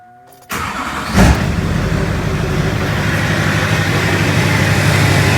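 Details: LLY Duramax diesel truck after thermostat replacement and PCV reroute: short crank, catches quickly, brief flare, then steady, even diesel rumble with no misses or knocks; sound running engine.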